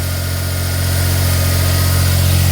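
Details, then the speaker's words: 2004 Smart ForTwo 450 700cc turbo petrol, rebuilt engine, just after replacing the cracked exhaust/catalytic converter; cold idle revving high while warming up; smooth, steady, no whistle or rattle from exhaust, healthy. "and it is revving quite High cuz the car's cold"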